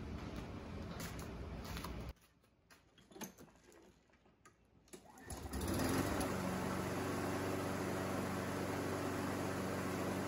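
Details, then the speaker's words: Husqvarna HU775H walk-behind mower, previously no spark because the safety shutdown grounding clip stayed on the ignition coil, fixed by adjusting the handle cable travel; catches after a pull and runs steady and even with no misses or surging; healthy. "it looks like that's what my problem was it was grounding out because when i was pulling the handle back it wasn't traveling far enough to release the grounding clip off of the engine and that was grounding out the ignition coil and not providing a spark"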